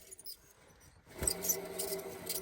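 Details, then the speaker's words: 2010 Chevy Suburban 5.3, belt removed, old alternator pulley spun by hand: faint steady whir with light scratchy ticks, pulley wobbles; worn pulley bearing behind the growly noise, alternator and pulley being replaced. "Yeah, that should be the pulley has a bit of a wobble. Yeah, you got a little something going on."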